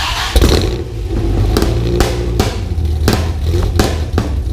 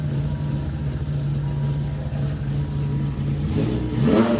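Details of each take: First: Dodge Viper V10, first start after engine install, spark plug wires 7 and 9 mislabeled and crossed; owner also suspects faulty idle air control, oil burning off manifolds and headers: rough uneven running with sharp pops, then dies; misfire from crossed plug wires. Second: Dodge Viper after oil cooler modification, warming up, burning off oil, good oil pressure, water temp rising: steady deep even burble with smooth low drone, then a quick rev rise near the end; healthy.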